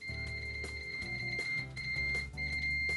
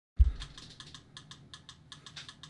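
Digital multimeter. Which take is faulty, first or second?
second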